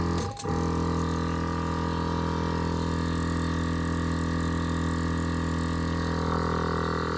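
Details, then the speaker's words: On-board air compressor for an off-road Ford F-150, after battery near 9 V with reversed leads was reconnected correctly: steady even motor hum, constant pitch, no labouring; sounds happier, fills the tank quickly to about 100 PSI; normal running. "Definitely sounds happier and definitely making air."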